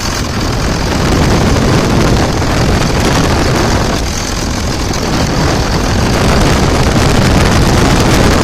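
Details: 2000 Dodge Ram 2nd-gen Cummins diesel after bypassing AC compressor pulley with 65" non-AC serpentine belt: steady, unbroken idle clatter, no misses, squeals or belt chirp; bypass judged a success, normal idle.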